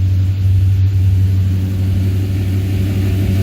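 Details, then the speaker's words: 1978 Ford Courier warming up after a cold start; low, steady rumble with an even beat, no knocks or misses. Normal idle. "I'm going to give her a couple more degrees. Kick her down one notch. So now, bam, 700 RPM."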